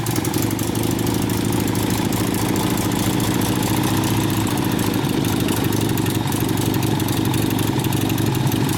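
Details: 1972 Harley XL Ironhead Sportster bobber after clutch, primary and engine repair, started after flooding: steady, loaded-sounding V-twin idle with an even beat and no surging; earlier a sideways bracket raised idle too high: normal idle.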